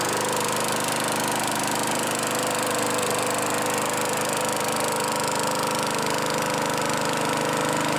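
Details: Craftsman Eager 1 mower 917.383241, final run after tightening hardware and new air filter assembly; steady, even small-engine buzz at constant speed, no misses, surges or knocks. Normal running.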